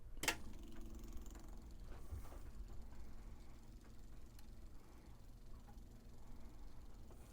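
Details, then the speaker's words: 1979 Hatteras 58' boat's Onan diesel generator, newly installed switch set to prime: faint, steady low electric hum with no surging or rattling; electric fuel pump priming normally while chasing fuel supply issues. "The switch allows for prime, off, or the run position. Now the fuel pump's only going to get power in the run position when the generator is actually running. So let's go ahead and prime it a little bit."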